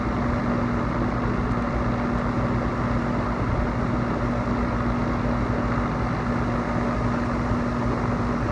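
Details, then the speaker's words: AC unit condenser fan won't start on its own while the compressor runs; fan hums and blows steadily after being pushed with a stick. Owner suspects a bad capacitor. "the compressor running when the fans not turn will take my trusty stick here and try to give it a joke"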